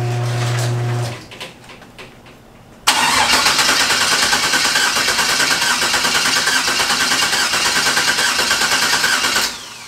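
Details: Engine just swapped from MS3 to Holley Terminator X Max ECU with base tune and new oil and fuel pressure sensors, first fire-up: steady chugging crank about three beats a second for six seconds, never catching; no start traced to several wiring mistakes.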